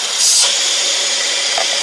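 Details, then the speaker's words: 2014 Mercedes E350, engine running, vacuum gauge on the oil fill cap: steady high airy hiss of air pulled through a small valve; centrifuge cover/PCV valve suspected leaking, showing crankcase vacuum. Cause not confirmed. "you can hear adam air whizzing through a little valve"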